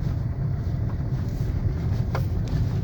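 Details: LADA Granta FL right passenger door after refitting the door card and tightening loose handle bolts: steady road and wind rumble while driving, no knocks or rattles over bumps; door panel quiet.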